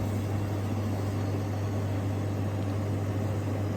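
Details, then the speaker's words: Fridge unit compressor running with the evaporator fan disconnected; the owner suspects gas was added without replacing the dryer. A steady low hum and mains drone with no knocks or rattles, so the compressor is running normally. "All right. So, it's running. It's running without the without the evap fan."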